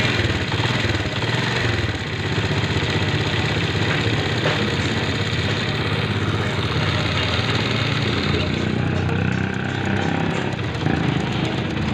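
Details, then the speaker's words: Single-cylinder motorcycle engine at idle after fitting a harder timing chain tensioner spring to cure a timing chain rattle; the earlier shh-shh/tick noise is gone, the idle is steady and even with no chain slap, a normal quiet engine. "अभी इसकी आवाज खुद आप check कर ले इसकी आवाज बिल्कुल साइलेंट हो चुकी है यानी इंजन में जो शर शर की आवाज थी वह इसकी बिल्कुल खत्म हो चुकी है"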